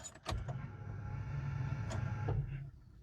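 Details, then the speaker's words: Old Toyota pickup with Yamaha engine swap, parked two years, at key-on before first start; short steady electric hum for about two seconds, a weak buzz; pump priming with only about five pounds of fuel pressure. "there's surely, you know, five pounds of fuel pressure there."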